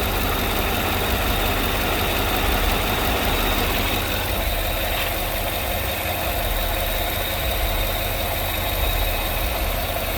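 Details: Idle after the noisy vacuum pump, which sounded like bad lifters, was removed, holes plugged and brake booster teed into the intake; steady even idle, smooth low drone, light valvetrain chatter, no irregular ticking or knock; normal idle after repair.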